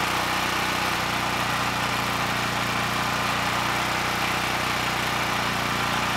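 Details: Honeywell HW5500 5500 W generator, 337cc, repaired with Hipa carburetor, good tank and replacement insulator from a Predator (had surged on choke and stalled): steady even drone, no hunting, surging or misses; normal running.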